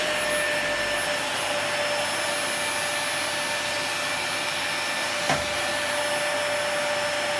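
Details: Dyson DC40 vacuum cleaner running after a broken hose repair and brush head service; steady high-pitched motor whine and even rush of air, no surging or rattling, strong suction, running normally.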